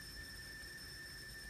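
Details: Teensy 3.1 audio board (SGTL5000 codec) output into a Nexus 7 at high impedance with no music: thin steady whine at two fixed pitches over faint hiss, from the built-in high-pass filter; disabling it via adc_hpf(true, false) cleans the noise.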